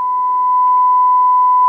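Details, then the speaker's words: Sanyo DCX 3300KB 4-channel amplifier before repair, first channel (front) into dummy load: pure, steady 1 kHz test tone with no buzz, rasp or wavering. Output looks clean on the oscilloscope. "This one looks really clean."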